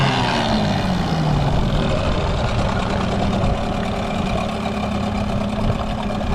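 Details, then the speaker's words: Outboard motor after thermostat fouled with corrosion and salt was dealt with and idle turned down from slightly high: smooth, even, quiet low idle with steady burble, good water flow, no knocks or misses; normal idle. "but it's set now for the perfect idle so I'll fire it up get good water and idle it's pretty quiet"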